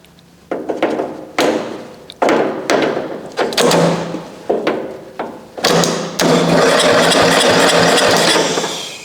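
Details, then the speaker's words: 1994 Coast to Coast riding mower, Briggs & Stratton engine, sat abandoned for years; would not crank on key, no power at starter, so power fed directly to starter: short whirring bursts then steady spin, engine turns over. "it turns over. I don't know why it wouldn't with the key, but at least we know it turns."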